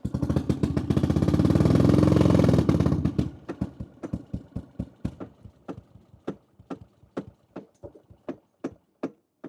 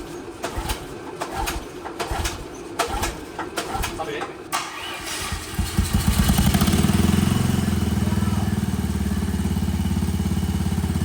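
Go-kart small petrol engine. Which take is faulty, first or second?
first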